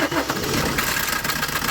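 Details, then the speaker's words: 2015 Maruti Suzuki Ciaz diesel just after start-up: heavy dry chain clatter over idle. Oil had leaked out and it ran without oil, with the chain adjuster stretched and the guide pad broken; timing chain replaced. "കണ്ടോ വണ്ടി എന്ന് പറഞ്ഞാൽ chain noise ഒരുപാടുണ്ട്. സംഭവം നമ്മൾ oil stick ഊരി നോക്കിയപ്പോൾ oil ഇല്ല."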